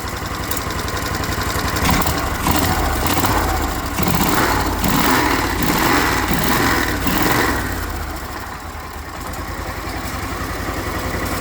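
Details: Briggs Vanguard repower in a Kawasaki Mule at first run: an even, fast low pulse with some rattling mid-clip that the owner guesses is the clutch, then a soft, steady, very quiet idle.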